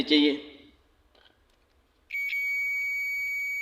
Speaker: तो यहां पर देख ले हमें भी सुनाई दे रही है तो इसका मतलब है यह भी कॉन्टैक्ट ठीक है